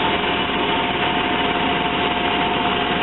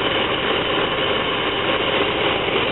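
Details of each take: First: Van idling steadily and evenly during a fuel pressure check, no misses or knocks; the cut-out it shows once warmed up hasn't appeared yet, so the cause is still unknown. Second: Van with running problem, fuel pressure checked and steady; smooth, even idle with steady hum, no knocks, misses or surges, ruling out fuel, timing or internal engine problem; map sensor, computer or EGR valve suspected.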